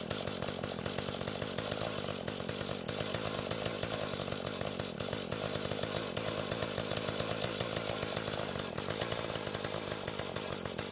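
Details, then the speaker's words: Mantis tiller two-stroke after carburetor adjustment, tilling dry hard dirt; steady high rev with even firing as tines dig, no bogging or surging, works well: healthy running under load. "Now, once the tines broke through the hard bit on the surface, it didn't jump around as much, and it seems to work pretty well."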